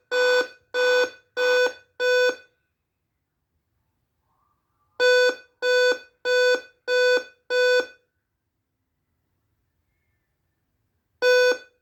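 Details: Dell Inspiron 5558 laptop on startup: repeated bursts of five short mid-pitched beeps about every six seconds, a warning that the CMOS battery is dead. Replacing the battery solves it.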